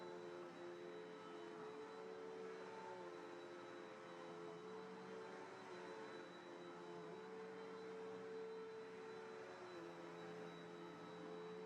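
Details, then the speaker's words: Cheapened Bissell upright vacuum with a 10 amp motor rather than the classic 12 amp: a steady high motor whine with a thin wavering squeal on top, possibly the belt or brush roll slipping; the squeal may or may not go away. "The motor sounds like the normal Bissell motors, but you can tell it's a smaller, much whinier motor. There's a little squeal."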